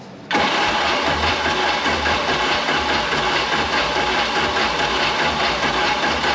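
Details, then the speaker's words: Stuck Mercruiser 3.0L marine engine, flooded; cranks steadily without firing or catching. Owner notes much blow-by, suspects manifold leak and a down cylinder, and fuel pump not picking up fuel: cranks but will not start. "a lot of blow by and the fuel pump is not picking up any fuel"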